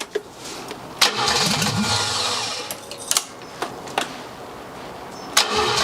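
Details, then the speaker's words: 1979 BMW 5 Series barn find, first start after sitting 30 years: it cranks, fires and flares to high revs with smoke, then falls back without settling into a steady idle. It runs for about 10–15 seconds; cause unclear. "idle sounds like it's revving really high damn woo we have some smoke we have some smoke"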